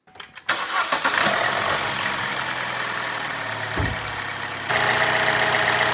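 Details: Chevy Cruze/Sonic 1.4L after replacing failed valve-cover PCV valve (codes P0106, P0171, rough running): quick crank, fires and settles into smooth steady idle, no stumble or whistling vacuum leak; runs clean.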